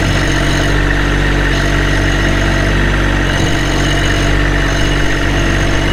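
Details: 2022 Kubota LX2610SU 4WD hydro tractor with loader and 138 hours, started for an operational demo. It gives a steady, low diesel idle with an even beat and no knocks or ticks; running normally.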